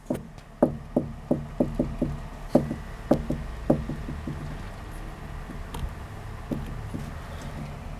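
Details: Volvo S60R: sharp hollow clunks about twice a second from the top of the strut tower while the steering wheel is turned, then thinning out; owner suspects the spring seat bearing, not confirmed.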